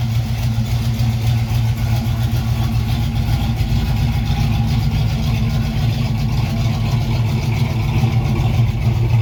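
Loud steady idle with a fast uneven puffing chuff, roughly four a second, riding over the rumble: typical exhaust leak at idle.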